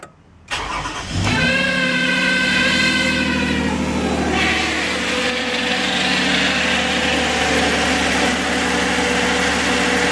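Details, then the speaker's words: 2011 Toyota RAV4 V6 FWD that needs a transmission, after a filter change and three quarts of Valvoline MaxLife. The engine settles to idle with a steady high whine on top, which stops when put in drive. Transmission whine at idle. "yeah we still got a line there"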